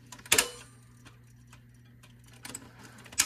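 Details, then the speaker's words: 1958 Motorola 5K23B-1 Golden Voice console phonograph at 16 RPM: irregular sharp clicks over a low mains hum as the turntable stutters and skips, suspected flat spot on the idler, to be replaced. Fine at 33 RPM. "that's 16 RPM right there see how it stutters a little bit the um oh yeah it's really having a hard time isn't it"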